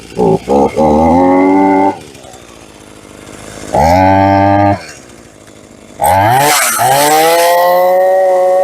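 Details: Free roadside Hitachi CS33EB chainsaw, found complete with good compression, first start on the previous owner's fuel at half choke: the saw fires and revs crisply in short bursts, settling to a steady idle between them. It runs normally.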